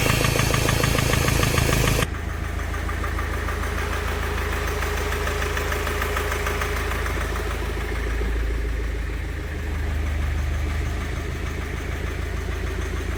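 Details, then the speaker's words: Mahindra Scorpio mHawk diesel at idle: heavy low idle with sharp tick-tick knock about four a second; sound stops via EGR valve or turbo adjustment after intercooler fitting. "और यही सोचा होगा किसी ने ये piston नीचे गिरा करो स्टार्ट लेकिन अब इंजन में से cut cut cut cut sound आना चालू हो जाएगा"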